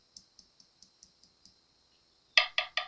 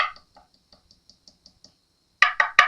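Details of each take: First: 1980s Fernandez Les Paul fretboard, unrepaired inlay on the side that has given the most trouble: light sharp ticks, then deeper hollow-sounding taps on one spot; loose fretboard inlay. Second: 1980s Fernandez Les Paul fretboard, tapping inlays: light dull taps then firm solid knocks with no hollow ring, sounding like the surrounding wood; well-bonded, solid inlay.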